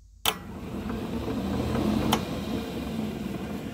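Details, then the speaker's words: Club Car golf cart on raised wheels, first solenoid engaged by pedal for low speed: electric drive motor snaps on and spins the tires with a steady whir and hum, no grinding; solenoid contacts good, normal drive motor run. "I'll engage the first solenoid now I can come and touch terminal and we'll get the low speed you can hear the tires running"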